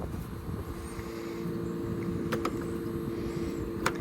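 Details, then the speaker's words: Fujitsu ductless mini-split condenser after installing Fujitsu warranty parts for a unit that was blowing fuses and tripping breakers: steady even hum of compressor and fan, a few light clicks; 2.3 and 2.4 amps per leg against a 12 amp rating, discharging hot, normal running. "And what do we got? 2.3 amps on one leg. And 2.4 on the other. It's going to slowly go up as it ramps up and down."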